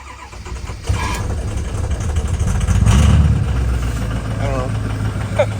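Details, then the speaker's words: Built 6.0 Powerstroke after high-pressure oil leak repair: new standpipes and dummy plugs, rail removed and drained. Slow, uneven cranking at about four beats per second that stumbles before catching. Hard cold start; the owner suspects air is still in the system. "Like I said, I think it's still got a bunch of air in it. Um but nevertheless I don't know how to do it."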